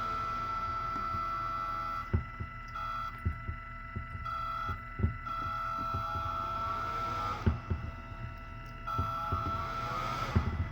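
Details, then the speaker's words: Cheap 12 V vent fan with two fans wired together, run from a battery for teardrop camper ventilation: constant high whirring whine with an airy rush, loud enough to disturb sleep; loud fan noise. "I wouldn't exactly call this deafening, but I wouldn't want to try to listen to this thing going all night long on a winter night when you're trying to keep a little airflow going."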